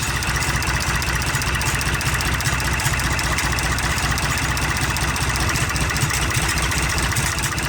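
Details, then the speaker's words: IH 484 diesel tractor with a PLN injection system, idling in about 55°F weather. Deep, even chug at about 150 beats a minute with no tapping or misses; still very smoky but sounds much better than before; idles smoothly. "Still pretty god-awful smoky, but again, it already sounds way, way better. Big difference."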